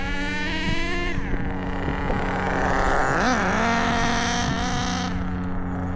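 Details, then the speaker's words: Traxxas 4-Tec with a new OS 21 nitro engine on first start and break-in, crankshaft bearings fitted by hand: a high buzzing tone rises and falls cleanly with each throttle blip, no misses or rattles. Running healthy. "yeah that sounds good how's that"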